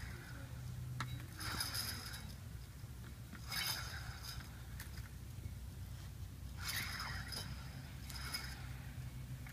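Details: 2000 GMC Sierra Z71 front right hub, likely previously replaced: gritty clinking scrapes in bursts as the loose hub is turned by hand, worn bearing; ABS light on, ABS sensor bad; new hub fixed both.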